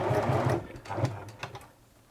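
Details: 1980s Singer Futura Electronic 2002 after servicing and refitting the electronic board and motor: a short burst of quick, even stitching clatter that winds down cleanly with light clicks; stitch length working, machine running smoothly.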